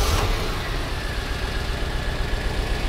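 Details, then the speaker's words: 1992 Corvette at idle, mic next to engine, just after exhaust repair with new cats: uneven stumbling idle with lumpy low beat about four times a second; steady misfire on one bank. "take a listen put my mic next to it absolutely absolutely a misfire no question about it"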